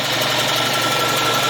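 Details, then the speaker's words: Air compressor (about 7.4 cfm at 90 psi) after repair of a seized head, filmed weeks after break-in with regular use: steady dense piston chatter at an even tone, no knocking or seizing. Seals better with oil and builds pressure quicker. Running well. "it's running good it i've actually run it for quite a while and been using it for weeks i just haven't finished up this video"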